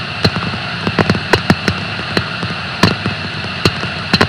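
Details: Bleach decker bearing on a pulp and paper plant, sound sample: sharp irregular impacts about two or three a second through steady hiss; peaks indicate a damaged rolling bearing.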